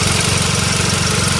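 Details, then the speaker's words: 2005 VW Mk5 Golf, FSI petrol: fast, even ticking clatter over a steady idle; normal, owner says the FSI engine always sounds this noisy. "so you've got the FSI engine here it is quite a noisy engine I definitely know if someone's driving SSI Engine outside because they always sounds like this"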